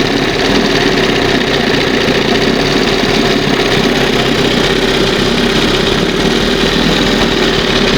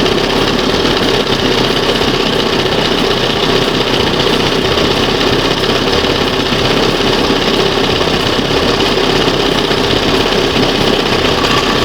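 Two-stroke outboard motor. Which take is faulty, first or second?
first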